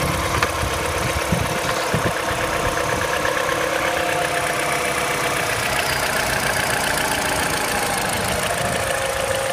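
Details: MINI N12 engine at cold idle: steady run with a fast, light ticking clatter over the engine; owner unsure whether this is normal, cause unclear.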